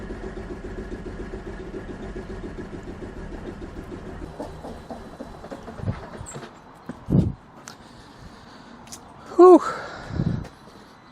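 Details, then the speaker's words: Ex-police 2008 Series 1 Holden Commodore VE, first start after fuel work, smelling gassy: rough, lumpy running with an uneven pulse, then a stumble. The owner suspects the spark side. "So, we do have misfires on five, six, three, and uh random, which is kind of what we can see."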